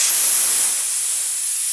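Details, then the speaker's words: School bus (skoolie) air brake tank drain valve opened: steady sharp hiss of air rushing out, also blowing out any water in tank; normal air tank purge. "it also releases any uh water that might be present in the tank and blast it out as well"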